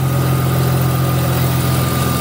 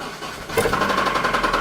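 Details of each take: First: 2000 Audi S4 B5 after alternator and belt work: steady even idle, smooth low hum with faint constant whine, no chirp or slap; belt not walking, battery light off, engine sounds healthy. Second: Audi B5 S4, manual-swapped, runs and moves under own power: starter catches, engine fires, then a fast, hard metallic knock on every turn at idle; owner says it has a bad rod knock.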